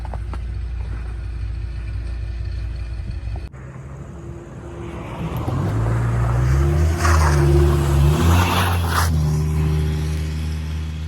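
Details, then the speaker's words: Bone-stock 1995 Dodge Ram 2500 8.0L V10: steady low idle, then revs climb and fall smoothly with an even, deep rumble; healthy engine, sounds pretty awesome. "addition to having great styling, this truck also sounds pretty awesome, and that's what makes it one of my favorite OBS trucks."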